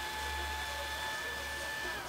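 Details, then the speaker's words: Noctua NF-A4x10 FLX 40x10mm fan newly fitted as the extruder cooling fan on a Tevo Tornado 3D printer, replacing a noisy stock fan. Soft steady whir with a faint even tone and no rattle or ticking; normal, very quiet cooling fan. "All right, I'm gonna turn off my fan, my extruder. Whoa, check that out. So quiet. Oh my god. That's perfect."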